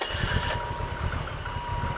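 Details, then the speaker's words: 1985 BMW 635CSi E24, sitting 12 years, first start after both crank sensors replaced to cure crank-no-start: catches and settles into a quiet, regular idle pulse with no misses or knocks. Normal start and idle. "first start in over a decade you wouldn't even know that this thing you wouldn't even know it was out of commission it fired right up"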